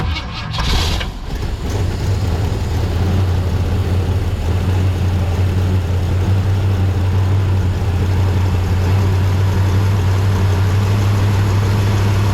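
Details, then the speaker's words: 1965 Lincoln Continental V8, long-sitting, primed by hand, carburetor bowls leaking: starter crank, quick catch, then rough low idle that steadies out; engine starts and runs after priming, fuel supply suspect. "all right looks like we got a runner in that tank"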